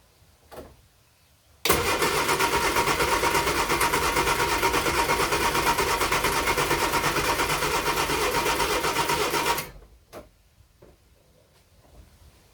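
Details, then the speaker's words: Project Fox engine start after rewiring and exhaust work, cooling system not yet sorted: about eight seconds of laboured starter churning, about three beats a second, without catching as the battery runs down; slow cranking, weak battery. "oh I'm running out of battery so it better work this time"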